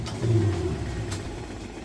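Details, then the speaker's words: Kenmore direct-drive top-load washer, large load, spin set to maximum, at full spin speed: a steady low hum with no thumps or wobble; smooth, normal spin before the lid switch shuts it down. "All right, we are at full speed on the spin cycle, as you can see here. Nice smooth operation, sounds great."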